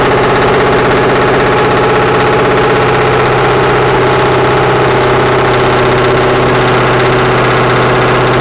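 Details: Restoration car freshly started for the first time after the build: a deep, even V8 burble at steady idle with no knocks or misses; brief initial smoke cleared quickly; healthy idle.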